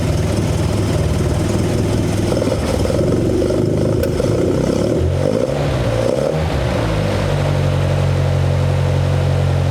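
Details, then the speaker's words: 1972 Toyota Celica 18RG with twin Mikuni 40PHH carbs, rebuilt with new throttle shafts and butterflies: idle now adjusts, but it hangs at a raised idle, sags and wanders, then settles higher. The high-idle/low-idle problem persists after the rebuild. "But now it's on the high idle. Now it's going to drop. It's still doing the same stuff that it did before."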